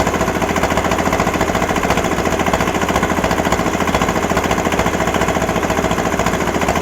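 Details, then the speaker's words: Kubota L210 21hp diesel tractor, smoking heavily: hard, uneven chugging with rapid popping as the other cold cylinder tries to kick in; it stops smoking and runs well once it fires. "you can hear that popping that popping is the other uh the other cylinder trying to kick in once it does it'll quit smoking it'll run good"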